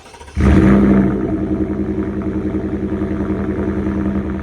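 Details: 2024 Ford F150 5.0 V8 on factory catalytic converters, before the high-flow cat install: quick crank into a strong flare, then an even, muted burble with steady pulses. A normal, healthy stock start-up.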